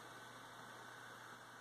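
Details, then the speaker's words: Servo-driven window air vent for server room cooling, holding position: faint steady low buzz with a thin high whine and no movement; servo chattering, owner suspects the pulse-width signal needs adjusting. "that's working better than I thought needs probably some tweaking figure out why it's got that noise maybe I just need to like put a different signal close up the pulse width or something"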